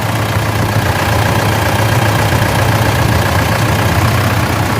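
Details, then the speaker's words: Mitsubishi L200 Triton 3.2 diesel after timing chain kit replacement, about 10 km into a road test: a steady, even idle clatter with a smooth low rumble and no chain noise; the engine sounds healthy. "o barulho é excelente no motor tá puxando beleza"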